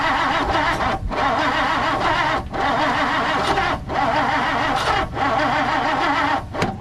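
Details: 1959 Plymouth Savoy cranks but won't start: repeated one-second bursts of steady starter cranking, never catching, despite confirmed spark and fuel squirting; an aftermarket carburetor and ignition coil are suspected, and repeated flooding left the oil overfilled.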